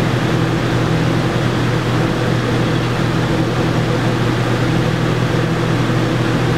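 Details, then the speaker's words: Yamaha generator powering an RV air conditioner with Supco SPP6 hard start capacitor, after repeated compressor restart cycles: steady, even low drone with no surging or hunting; normal running under load. "yeah been through the repeat cycle a couple of times here and seems to be doing what it should be doing so I'm pleased"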